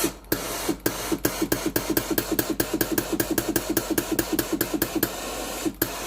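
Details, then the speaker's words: Philips GC9682 steam iron after repair, with a new water pump and solenoid valve replacing the failed ones: even pulsing clicks about two a second with a soft hiss. The pump now feeds water from the tank to the boiler normally. "ตอนนี้เครื่องสามารถใช้งานได้ตามปกติแล้วนะครับ"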